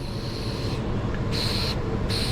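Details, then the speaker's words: Commercial walk-in refrigerator condensing unit with an old leak that has green dye: nitrogen from a regulated tank fed in through the high side and flowing through the system; steady high hiss with a thin intermittent whistle over a low hum; nitrogen purge flowing. "hear that so now it's passing through the system we got Nitro flowing"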